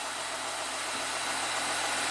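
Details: 2014 Audi Q7 TDI diesel after oil cooler and pipe reseal for a coolant leak and 8-quart oil change, after a longish crank: even, steady idle with smooth hum, no knocks, misses or hunting; normal idle.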